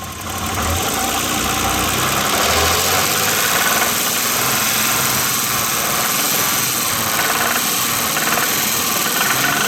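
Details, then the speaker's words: 1988 BMW 528e M20 engine with an intermittent light metallic rattle over the top near cylinder 3 at part throttle, 2500-3500 rpm; driven 4000 miles with it, owner doubts a rod. "the sound that I'm concerned about comes like right over here right over the top and number three"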